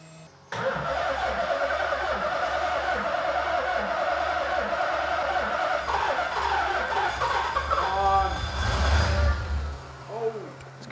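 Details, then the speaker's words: Nissan S13 Silvia with a supercharged VH45 V8 swap, first start with the fuel pump relay bridged and a jump pack: it fires and runs on its own at a low, slightly uneven, very quiet idle with a couple of revs, not yet running happily. "start everybody oh it runs yeah good i don't think it's check i don't think it's megaly mega happy but it runs it runs and kind of runs on its own it's very quiet"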